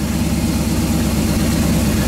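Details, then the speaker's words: Freshly broken-in 350 Chevy V8 at idle: a steady, even, smooth low rumble with no knocks or ticks; the engine sounds healthy. "I could listen to this thing idle all day long."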